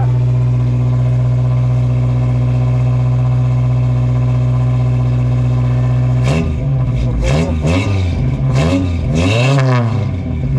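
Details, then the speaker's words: Toyota 22R four-cylinder in a mini truck, motor just reinstalled, running with a newly built exhaust, starting cold. Steady, even idle, then quick clean throttle blips that rise and settle smoothly as it warms; the engine sounds healthy. "Oh, that sounds so good. Oh man. Let it warm up, then I'll rev it a bit. Yeah. You happy with it? Oh, yeah. Yeah. That runs so nice."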